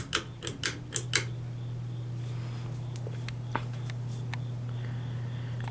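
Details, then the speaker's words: 2003 32-inch Hampton Bay Minuet II 3-speed ceiling fan on low speed: a steady, loud motor hum with a few light clicks at the start, cause unknown. A dryer is running in the background. "Yeah, I don't know if you guys could hear that. The motor is extremely noisy."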